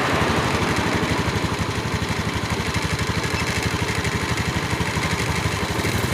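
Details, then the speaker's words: Honda Beat eSP (K81H/K25G) scooter at idle after an ECU service and fault-history reset, battery charging voltage reading 13–14 V: steady single-cylinder putter at about three beats a second with no misses; normal idle. "Ini kondisi stasioner ya teman-teman ya, atau langsam ya."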